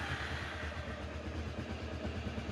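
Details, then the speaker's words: £100 Honda motorcycle after carb work, new air and oil filters, fresh oil, lubed chain and radiator checked: steady, even low thrum with a regular pulse and no misses or knocks, ticking over lovely; normal idle. "There you go. I could not be any happier with that. It runs like a [Music] dream. Ticks over lovely."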